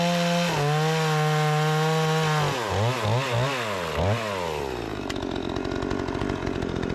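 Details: Repaired Remington 46cc two-stroke chainsaw with sharp chain cutting wood: runs high, dips and recovers with each stroke into the wood, picking back up crisply; strong and responsive, normal operation under load.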